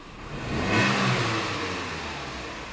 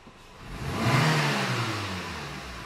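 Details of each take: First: Renault Clio, 94,000 km, stumbling on low-rpm acceleration: engine blipped about every five seconds, hesitating and misfiring as revs rise from low rpm. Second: Renault Clio that was misfiring at low revs, retested after diagnosis: free-rev from idle climbs cleanly and eases back down with no stumble, cut-out or miss; normal acceleration.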